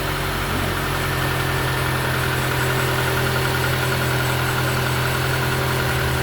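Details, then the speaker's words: Taxi petrol engine after replacing broken lifter (tappet, broken spring, roller without oil) that caused a tac-tac noise: steady, even idle with smooth low hum, no ticking or knocking; service complete, engine sounds healthy. "Aí, galera, serviço concluído. Olha só o barulho do motor cantando bonito."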